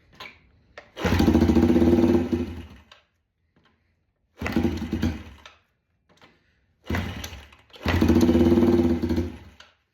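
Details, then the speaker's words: Yamaha TTR 90 being revived catches with rough uneven firing in short bursts then dies within seconds, even with choke and petcock on; sounds like it's not getting gas, air-fuel mixture screw to be adjusted. "Come on. Okay, got our petcock on. Sounds like it's not getting [Music] gas."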